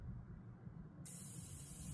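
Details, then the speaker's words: HVAC line set after a decay test, with the outdoor unit holding the charge. A brief soft, steady hiss at the service port as the valve core is loosened releases a little refrigerant to purge the air, a normal step before reinstalling the core. "Hear that. That's the ref. That's the refrigerant. We let out any air now in that section is gone now."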